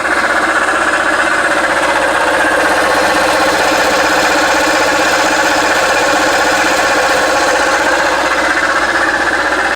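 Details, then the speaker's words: Jeep Patriot at idle, not charging: a loud, constant mid-pitched howl from the alternator, louder than the engine; the alternator is bad and was replaced. "anyway it's not charging you turn it on and the alternator is howling like you wouldn't believe this thing is super loud"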